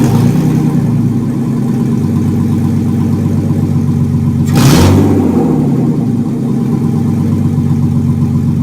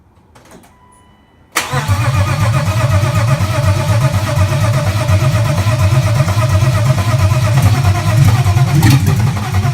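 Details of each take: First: 1995 BMW E36 325i M50B25 donor engine run before a swap into a Mercedes 190E, exhaust removed so it fires straight from the headers, revved under 3000 rpm: harsh, raspy, very loud note with one quick blip. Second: BMW M50B25 inline-six in a 1995 E36 325i donor, exhaust removed so running straight off the headers, before a compression test: starter catches into a loud, raw, evenly pulsing idle with light blips, revved under 3000 rpm; normal running.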